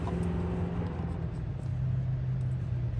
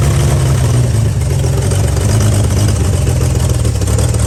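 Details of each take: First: 1955 Chevy truck inline six sitting about 30 years, previously seized, number one spark plug deleted, hot-wired without key: low uneven churning as starter cranks with no firing; checking points shows no spark, later found coil good. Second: 1955 Chevy truck inline-six that sat about 30 years with a locked-up engine, now freed: a strong, even rumble holding steady without stumbles or misfires. The old engine sounds healthy and runs pretty good.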